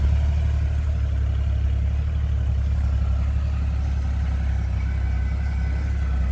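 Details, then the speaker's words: 1981 Jeep CJ-8 Scrambler, frame-off restored with 32 miles since, carbureted without fuel injection: it fires first try and holds a low, even idle rumble with no misses, knocks or hunting. "so without fuel injection this thing fires first try every time really run smooth"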